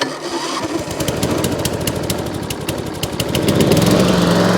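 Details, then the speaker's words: Mower engine, on choke, fitted with a new Lucas 5Ah 12V battery for electric start: the starter cranks briskly at about four pulses a second and the engine catches within three seconds and runs up; a normal electric start. "I've now got an electric start, 8 to 48, which has improved the value straight away."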